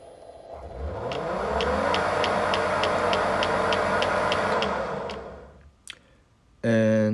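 The hub motor whirs up in pitch, holds a smooth steady hum for a few seconds, then spins down; healthy detection run.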